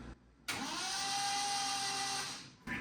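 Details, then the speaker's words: 1970 Triumph TR6 after oil system priming, cranking with a replacement starter after switching starters: steady even whine for about two seconds, no grinding or clunks; cranking properly. "okay this one jumps that sounds [Music] better okay that sounds much better"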